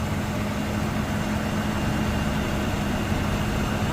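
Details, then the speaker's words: 1998 Chevrolet Express 3500, first run in about two years, fresh gas added: steady, even low idle rumble with no misses or knocks; not charging noted; normal idle. "it's been a good 2 years since this been run but it run smooth as a kitten got oil"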